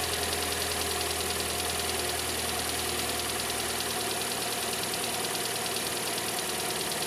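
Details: Kia Sportage 4 at idle: steady idle with an irregular light knock about three per second over a hissy top end; engine knock, cause not yet determined.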